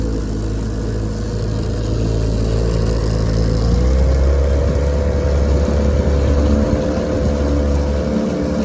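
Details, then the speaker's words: 1968 Evinrude 9.5 HP outboard, lake test run after repair: starts on a pull, steady even two-stroke drone with slight pitch rise under way, no misses or knocks; running healthy. "so uh I've been running her she runs great let's give her a pull and see if she'll get started and take off for us"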